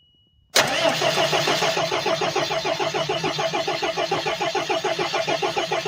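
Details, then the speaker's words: Ford F-700 with an intercooled 6BT Cummins, cranked after replacing the fuel pump shutoff solenoid: steady starter grind with even compression pulses and no catch; the fuel filter needs changing and the fuel system needs priming. "Okay, turn it off. I got to change the uh fuel filter and prime the fuel system."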